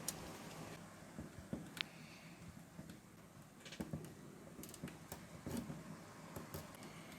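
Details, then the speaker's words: Vintage 1997/98 Jensen MCC8320 car stereo after cleaning, with the binding daughter board repositioned: crisp, light clicks at irregular moments as each button is pressed, with no binding or scraping; buttons now work normally. "since it's on a daughter board it shimmied a little out of the way and was binding now it works I can hear the buttons clicking"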